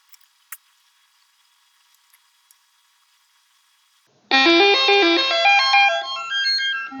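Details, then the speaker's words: Commodore SX-64 repair with a dead test cartridge running the diagnostic: quiet, then a clear bright test tune of stepped notes plays for about three seconds; SID sound chip works. "Okay, well that's good to hear that the SID is going."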